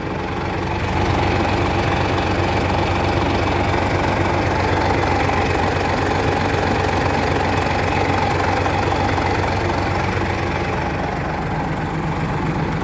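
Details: Japanese-import tractor-unit truck, factory E13 diesel, ZF semi-auto gearbox, oil just changed: steady, deep idle with an even beat near four a second, no knocks or misses; healthy.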